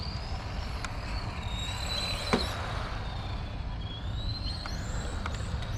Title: Playing with XRAY FK05 13.5T BL. Unique whining noise